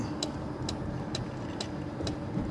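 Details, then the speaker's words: 1997 Mercedes S500 coupe while driving: sharp, even clicks roughly twice a second over low road rumble from the side power mirror, continuing even when the switch is changed over; cause unknown. "I don't know how to make that stop. Even when I switch over here, it won't stop."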